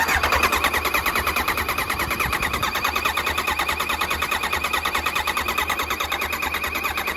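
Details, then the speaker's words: Kawasaki Ninja ZX9R after 4 years outdoors, tank removed during restoration: steady light ticking about two per second over faint whir as fuel pump relay clicks and pump primes; relay ticking, pump working. "all right so I've got the tank out of the way so I'm gonna quickly check and make sure the pump is working and the relay is ticking"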